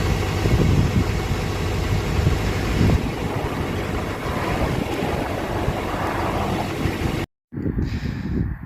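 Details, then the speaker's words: 2006 Chevy Silverado LBZ Duramax diesel with DSP5 switch and tune, 3.5-in exhaust before 5-in swap, cold start after overnight in the 20s °F (upper 50s now): deep steady rumble settling to even idle, wind on mic, no knocks or misses; normal. "So, let me do a cold start. The truck's been sitting out overnight. It's actually like in the upper 50s right now, but it dropped into the 20s last night."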